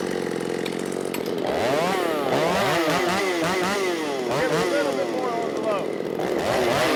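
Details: Ported Shindaiwa 757 chainsaw, advanced ignition timing, 24-inch bar, 8-pin sprocket, richened half a turn after lean plug: high two-stroke scream sagging and recovering as it labours in the cut; bogging, owner wants a 7-pin.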